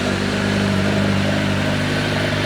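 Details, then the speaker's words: Honda CBR1100XX Blackbird at its first start after the engine was replaced: strong, even running with no knocks or rattles as it warms, with some smoke believed to be grease burning off. Normal running. "So, so the Blackbird finally starts. Did you hear it? It sounds like a beast, doesn't it?"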